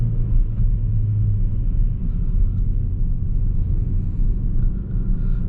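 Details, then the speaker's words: Ford Focus returned by a buyer, on a test drive: the automatic gearbox won't upshift and seems stuck in second, holding a heavy, droning high-rev roar; a timing-chain-like noise and vibration were noted beforehand. "so it doesn't change the gears so he's stuck in the i think he's the second and just over revs"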